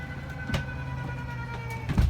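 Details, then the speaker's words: Jayco 31XL travel trailer, living-area slide-out (slide one) extending with the button held: steady electric motor hum at constant pitch under load, with a few clunks as the room moves; normal operation. "go ahead and hold down the extend button for slide one which is gonna put out your slide out for the living area"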